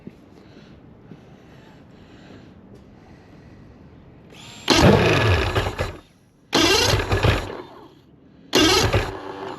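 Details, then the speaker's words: Mercury 2.5L EFI outboard with a hot soak no-start, won't restart until cooled, restarted hot with throttle closed: three short bursts of cranking and catching that each die within a second or two; stumbling restart when hot. "Yeah, it's not liking that at all. Now, this is a pain on these early EFI motors, but I always had a foot throttle and when they quite often they have a characteristic of doing this."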